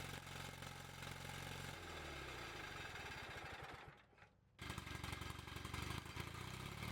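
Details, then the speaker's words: Bolens QT17 garden tractor single-cylinder engine just started after oil change, points set and new carburetor gasket and air element: rough uneven low-idle chuffing, brief dip then recovers, heavy white smoke; after warming it revs incredibly high, cause unknown. "Well, that's a lot of white smoke. Let's try that again. What in the world? Why is it smoking so bad?"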